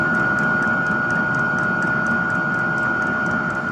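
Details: Cheap diesel air heater on a VW T4 Syncro van, test run after swapping the 65 to a smaller 22-microliter-per-cycle fuel pump; steady blower hum, thin constant tone, light tick about four times a second from the pump; runs evenly, little smoke.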